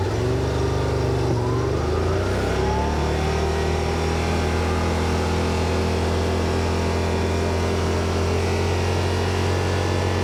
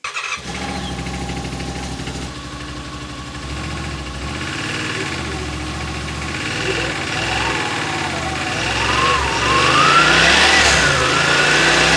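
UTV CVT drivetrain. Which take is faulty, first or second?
first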